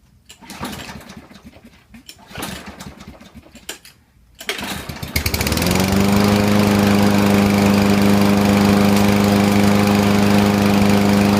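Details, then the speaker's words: Husqvarna 6021P push mower that would not start, after carburetor cleaning: a few pull-cord tugs, then engine catches and settles into a smooth, even, steady hum; now runs normally. "Yes, it seems works. So that's it."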